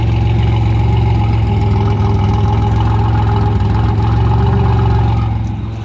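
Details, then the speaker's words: 1985 Pontiac Firebird, sat for a couple of years and recently got running, exhaust recorded at idle; deep, even burble, steady firing with no misses or ticks, fading at shutdown; healthy. "yeah, it sounds real good. It's really nice when you're actually on the street and driving it, because it just sounds so good."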